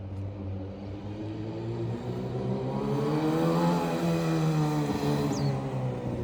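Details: Loud, throaty exhaust drone rising and falling with a blip of the throttle, loud enough to bother the neighbors; the silencer is worn and needs replacing.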